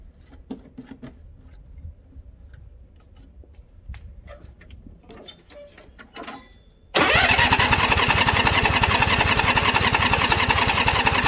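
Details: White Outdoor LT542G riding mower twin in a cold shop, running rough, drinking gas and putting fuel in the oil: quiet, then it fires and runs loud and ragged with an uneven, erratic beat. The carburetor main jet was found missing.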